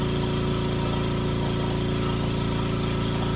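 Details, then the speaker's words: RICOR K535 Stirling cryocooler setup with California Air compressor feeding a nitrogen membrane, compressor just started, pressure to be brought to 90–100 psi; even low pulsing hum about three to four beats a second, quiet enough to talk over, no knocks; normal running. "And you can hear that's pretty quiet. You can hear me talking without any issue."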